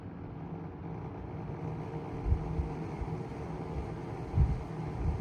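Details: 1975-76 Kou Horng desk fan, otherwise in mint condition, with worn thrust washers. Noise appears when the fan is tilted up; owner suspects bad bearings after a quick coast-down stop. Low rough rumble with uneven knocks; oiling later quieted it.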